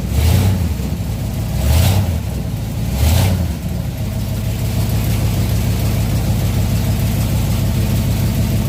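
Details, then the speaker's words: 1967 Chevelle V8 on original wiring after ignition switch reassembly; a few throttle blips, then steady, even idle with no knocks, misses or hunting; oil pressure gauge about three-quarters, not yet charging; healthy. "i knew it would run i was just trying to see if it would run off the original wiring"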